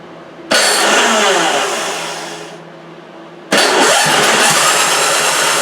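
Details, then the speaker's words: Toro 3521 snow blower just after a primed start at about three-quarter throttle with a little choke. It catches with a loud hissy roar, sags and fades unevenly, then surges back. Rough running, cause unknown. "That doesn't sound good at all."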